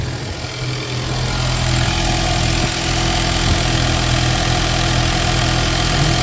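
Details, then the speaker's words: 2019 Ford Mustang 2.3L EcoBoost after re-timing and crankshaft pulley seal replacement: fires right up and settles into a steady idle with a faint air pump whir; runs evenly, no leaks seen; normal idle. "There we go. Fired right up. Let's see how we're looking."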